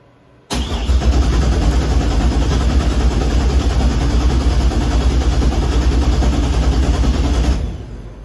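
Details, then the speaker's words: Normal cranking while checking for oil pressure after a full build: the engine turns over with a steady, even rhythm, no knocks or grinding, and does not fire; it sounds healthy. "It's got oil pressure. It's, you know, it turns over, it sounds good."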